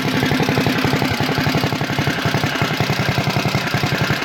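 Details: CT200U-EX mini bike, governor removed, PVL flywheel, Mod 2 camshaft, 22 lb valve springs, ARC billet rod, RVL exhaust and Mikuni carb fitted: steady even single-cylinder putter at lazy idle, regular firing, no knocks or rattles; healthy.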